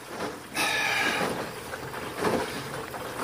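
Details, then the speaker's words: Samsung front-load washer test wash with shop towels after replacing the rear drum spider and shaft seal, heard through the vent to the top of the tub: irregular watery swishes and sloshing as the drum turns, no knocking or grinding; normal wash. "this is the vent that goes to the top of the tub and you can hear everything sloshing around"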